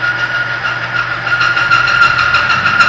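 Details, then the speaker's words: Oil friction test rig with weights added one by one: loud harsh upper-midrange tone wavering and chewing under load as the oil film breaks down and metal scores. Lubricant film failure. "there's one weight two weights damage it's piering the piering the protection of the oil"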